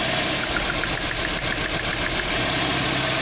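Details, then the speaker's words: 2003 Nissan X-Trail T30 2.5 petrol engine idling after a misfire repair, with a pulled ignition coil giving light, quick spark ticks several a second: normal healthy ignition coil spark ticking. "Suara suara nya ada enggak percikannya ya seperti ini nah ini kalau koilnya bagus suaranya seperti ini"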